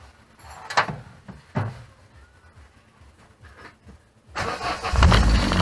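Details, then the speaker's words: Classic Mini start-up just after replacing the noisy Bosch 3-bar high-pressure electric fuel pump, which had been noisy since new: a couple of clicks, then the engine fires and settles with no pump whine or buzz. Now about ten times quieter; normal fuel pump operation. "Wow well that's like 10 times quieter so I'm well pleased with that that's been noisy since day one so take it the pumps never been quite right from new"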